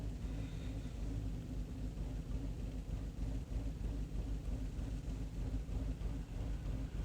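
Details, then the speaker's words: 2013 Chevy Cruze with low power, won't exceed about 30 mph, MAP performance code: uneven loping idle that worsens, fuel trims maxed and climbing; vacuum leak. "it's starting to get worse and worse and you can see the field trends are climbing we have a vacuum leak"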